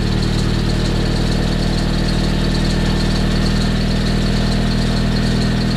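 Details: Freshly rebuilt Nissan KA24DET after many problems, in a cold garage with the coolant bled free of bubbles. Steady, even idle with a smooth low rumble and no knocks or misses; running healthy.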